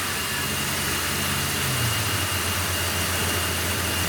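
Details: 2001 Dodge Dakota revived from sitting, on old fuel: even, settled petrol idle with a steady low hum and no misses, knocks or ticks; the engine is running healthy.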